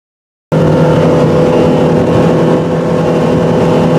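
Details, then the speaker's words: 2018 Chaparral boat, MerCruiser 4.5L 250hp V6 with waste-spark coils, after replacing a faulty ignition coil flagged by a Vesselview code for power loss under load: a strong, even roar above 4,000 rpm with no stumbles or pops; no longer falls off or sets codes. "Well, I think that's a fix. That's about 5 miles of I didn't run them all at 50 mph wide open, but I did run um about four or five miles above 4,000 RPM and some of it at max, which a little while ago."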